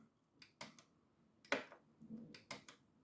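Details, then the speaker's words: PECO Electrofrog double slip on an N gauge layout, newly installed point motors under test; crisp snapping clicks in quick pairs on each throw, clean and decisive, switching convincingly between the two positions; normal point motor switching. "is very convincingly switching between the two. So that's pretty much perfect. That's exactly what we want."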